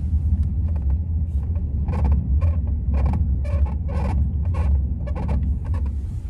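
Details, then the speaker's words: Ram Power Wagon 2500 idling after rock sliders were fitted: short squeaks in bursts as the steering wheel is rocked, suspected to be the rock rail rubbing the frame at the number one bolts. "as i rock the wheel back and forth there's definitely a squeaking going on which sucks"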